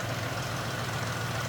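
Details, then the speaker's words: 2000 Cadillac Eldorado ETC, 4.6-litre V8, 62,747 miles, no warning lights, heard with hood open: smooth even low idle with steady rumble, no ticks, knocks or misses; nice and quiet, normal idle. "Sounds good. Actually nice and quiet. Nothing out of the ordinary there."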